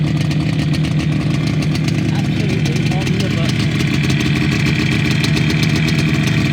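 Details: Fully restored 1980 Yamaha RD250F two-stroke: crisp, steady idle with an even rapid beat and no misses or rattles; sounds healthy.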